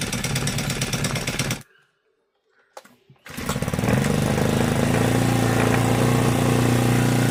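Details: Honda GX35 brush cutter after a valve tappet clearance adjustment and clutch replacement to cure a metallic ticking: it buzzes steadily at high speed after a brief cut-out and restart, with no ticking left; it runs clean.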